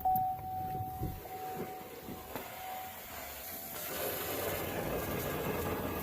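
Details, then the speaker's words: Chevrolet Colorado/GMC Canyon ZR2 2.8 Duramax diesel, key cycled after changing fuel filters: faint steady whine for about three seconds, then stops leaving hiss; fuel pump priming normally. "next you want to come up into the cab and cycle the key a few times on and off that way you can prime the fuel pump all right I'm gonna climb out hopefully you can hear the fuel pump"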